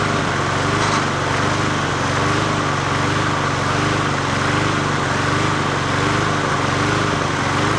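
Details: 20-inch Murray push mower #20201D, after straightening a wobbling crankshaft and cleaning: steady, fairly even run with a slight wavering note. It sounds basically healthy; owner thinks it may be low on gas.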